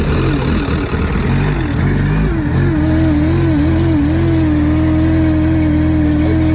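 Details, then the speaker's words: Cheap crash-damaged Mercedes coupe engine with stored MAF sensor and misfire codes: loud uneven wavering note settling into steady drone; owner suspects throttle body and mass airflow sensor, not confirmed. "we've got misfires um our throttle body has an issue our mass airflow since it has an issue can probably hear it on on this"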